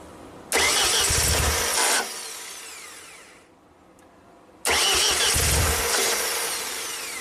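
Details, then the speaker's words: Ford-powered propane JLG boom lift, sat two years after a tree fell on it, wires rodent-chewed. Two cranking bursts of the starter turning evenly, never firing; the throttle motor is commanded but the plate doesn't move though the TPS works. Crank, no start, throttle held closed. "So we saw it try to control it, but it did not move the throttle plate physically."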